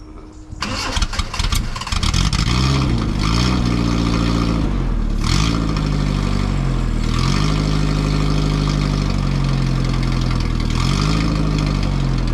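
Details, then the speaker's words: Roadster build on a 1936 Austin 12 frame with a 1800cc Isuzu petrol engine and 5-speed gearbox, start after exhaust and coolant plumbing: it cranks, catches quickly, blips, and settles to a steady idle with a mellow, quiet exhaust. Normal start and idle. "Not that loud, is it? How lovely that sounds, but look at the gauges."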